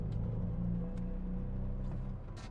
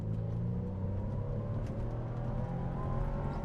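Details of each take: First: BMW Z4 in second gear under hard acceleration: a heavy, flat, choppy drone from an engine misfire. It won't rev past 3000 rpm and goes into limp home mode. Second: BMW Z4 after fixing misfire on hard acceleration by replacing a spark plug: engine pulling hard, smoothly to 6,000 rpm in second, then third gear to 4,000 rpm, no stumbles or misfires, no fault codes.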